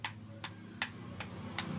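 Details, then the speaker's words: Engine crankshaft rocked by hand with the palm: sharp metallic ticks about every 0.4 seconds, showing worn bearing play and side play in the crankshaft; this tick is the noise heard from the engine. "तो यही आवाज अपनी engine के बाहर आती है जिसे टिक-टिक की आवाज जैसे पेट की आवाज होती है"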